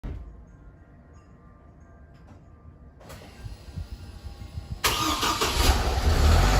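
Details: 2008 Hummer H3 with 116,000 miles, Magnaflow cat-back exhaust, P0300: cranking catches and stumbles into a lumpy idle, a rough start that happens at random startups. Owner suspects soft valve seats, not confirmed.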